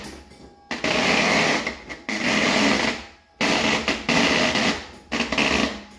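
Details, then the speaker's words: 1977 Ford F100 Custom with retrofitted Volvo electric power steering pump, turned up from its lowest setting: whirring hiss surging in bursts as the wheel turns, robot-movie sound; pump running normally, steering nearly effortless. "let's see if we can wrap it up a bit here it sounds like it should be in a robot movie I kind of dig it actually"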